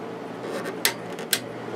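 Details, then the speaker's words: 1996 Holmes 5200 BTU air conditioner made by WCI (6.2 A, 635 W, Macmillan fan motor, LG compressor), compressor off, fan only on high: soft steady airflow hiss, no rattle, hum or scrape, two light clicks; quiet normal fan operation. "But you get the point. It's quiet and it blows really cold air."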